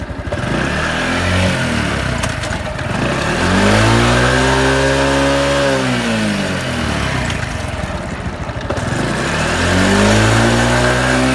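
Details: Honda Super Cub 110 JA07, fuel-injected and fully stock, start-up check: single-cylinder pulled through a few smooth blips, pitch rising and falling cleanly, no knocks or rattles. Healthy revving with no abnormal engine noise.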